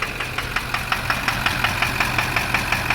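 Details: Chevrolet Duramax LB7 diesel, 320,000 miles, at idle: sharp even knock about three times a second over steady idle; suspected bad injector, fuel rates on scan tool jumping around.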